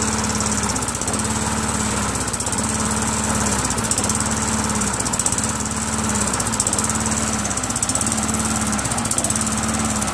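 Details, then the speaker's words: Craftsman Eager 1 self-propelled mower with Tecumseh 5.5 hp engine, first start after carburetor cleaning; revs rise and fall about every second and a half, surging because the throttle spring is pulled out too far and needs tightening. "start it up needs a little adjustment on the throttle spring that's the spring a little bit too pulled out you know I've got to tighten that spring a little"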